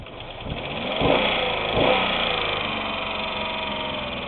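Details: 2001 Pontiac Grand Am after lower intake manifold gasket work, barely idling: uneven, lumpy idle with heavy thumps and irregular beat, misfire with rod knock underneath; misfire later traced to a burnt exhaust valve, knock cause unknown.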